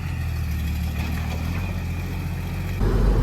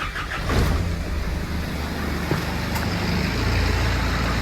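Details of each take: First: The "80" diesel after a turbo install: steady, deep idle that picks up cleanly on a short rev, with no puffing or ticking from the exhaust; normal running. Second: Engine jump-started after work cranks, catches and settles into rough idle with a faint puffing tick from an exhaust leak, later fixed.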